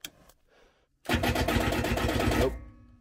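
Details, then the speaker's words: 24-volt diesel generator after days of negative-Fahrenheit temperatures: labored cranking about four turns a second for under two seconds, stops without firing; suspected dead battery from cold, started with two 12 V jump packs. "that's not good and dead battery probably because of the cold temperatures because this generator is 24 volt"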